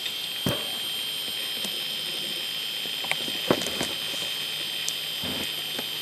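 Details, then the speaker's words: Faulty computer hard drive with a very noisy bearing and many bad sectors, loading Windows. A constant high-pitched whine under scattered irregular head-seek clicks; a worn spindle bearing. "it's a faulty drive so a very noisy bearing and a lot of bad sectors"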